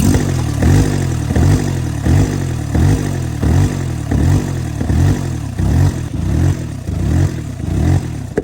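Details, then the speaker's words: Mini Cooper with the intake removed, idling during coolant-leak and overheating diagnosis: sharp pops about every three-quarter second over a low rumble as it backfires little fireballs out the open intake. "I mean, it keeps shooting little fireballs out the front here."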